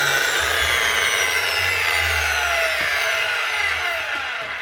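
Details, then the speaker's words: Bosch 9-inch grinder after repair: original lead rewired and wrongly fitted brushes (brush sitting on top of spring) refitted correctly; loud, even high-pitched motor whirr at speed with no knocks or rattles, then gentle wind-down; healthy running. "Bosch 9-inch grinder, up and running again. Rewired the original lead, forget about the big heavy new or second hand one I would tried to fix, and brushes fitted wrong."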